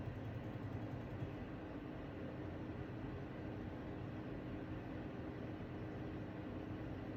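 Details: LG LP1419IVSM dual inverter portable air conditioner with an aggressive, harsh, steady rattle and heavy low rumble from the compressor just after startup.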